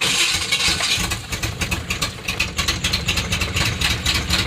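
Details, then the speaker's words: Chevy Silverado (88–98 generation) after patching a suspected vacuum leak: idle hunts and surges unevenly, won't settle; owner now suspects ignition timing or the distributor rather than a vacuum leak; cause unconfirmed. "Well, someone actually said that this thing might be out of time a little bit. So if that's what it sounds like, please let me know in the comment section below,"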